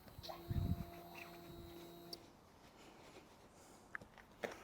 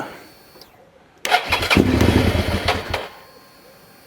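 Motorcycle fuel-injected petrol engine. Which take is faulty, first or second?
second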